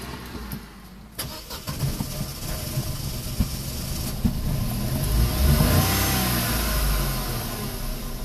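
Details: Opel/Vauxhall Corsa C cold start at +15 °C with code P0170: starter churns several seconds before the engine stumbles and catches, rich exhaust; cause a leaking hose in the fuel pump reservoir, fixed by replacing it.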